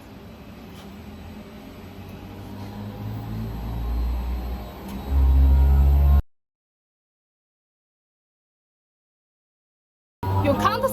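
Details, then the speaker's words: Blow molding machine's low-pressure screw compressor started from its touch screen: a low hum builds steadily and settles into a strong, even drone with no knocking, and the compressor motor runs normally. The high-pressure booster follows about 6 seconds later. "Just press the start. So you can hear the voice. This motor is running."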